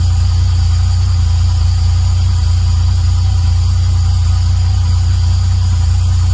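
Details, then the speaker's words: Toyota 1JZ-GTE turbo engine, just rebuilt and refitted after an oil leak; first idle after rebuild is deep and steady with a faintly uneven, lumpy beat and no clear knock. Running a bit rough, cause unknown. "It started running a bit rough, but I can live with that."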